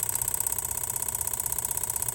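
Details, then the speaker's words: Van at idle with a scan tool commanding the old EVAP purge solenoid at 10–30% duty in 10% steps: a fast, even ticking buzz about fifteen clicks per second. The clicking stops at 100%, and a new solenoid clicks the same, only slightly quieter. This is normal operation. "So it starts at 0 and it increases by 10% increments. That's 10%. That's 20. And that's 30. Hopefully you can hear that clicking noise."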